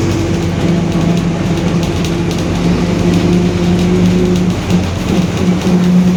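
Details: 2021 Marcopolo Torino S bus on Mercedes-Benz OF-1721 BlueTec 5 chassis, cruising: constant low droning hum riding over the engine; roaring, worn differential.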